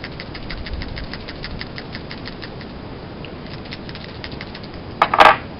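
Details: PCV valve from a 2006 Hyundai Sonata GLS V6, 98,932 miles, shaken by hand during plug and PCV replacement: light, quick crisp clicking then a louder clack; check ball moves freely, normal rattle (old valve said to sound gummed up).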